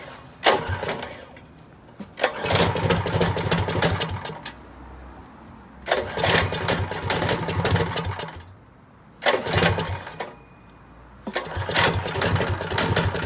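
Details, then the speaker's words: 212 engine with a Stage 1 modification kit, running before the muffler is fitted: loud, sharp, popping exhaust bursts with quiet gaps; runs fine, just extremely loud. "I don't know how loud this thing is gonna be now. So now I'm installing the muffler because it's extremely loud, so I just cut that off."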